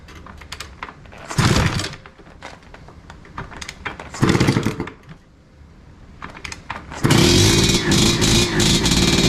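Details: 1986 Tecate 3 two-stroke, fresh build with new bore, piston and rebuilt crank, first start after many years on half choke after 7000 kicks: crackly blips then sustained buzzy run, a bit rough and uneven but firing on its own.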